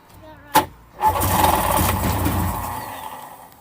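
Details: 1994 Sea-Doo GTX jet ski fed straight from the gas tank: a brief blip, then steady cranking for a couple of seconds that fades without a clean catch, a long, hard start.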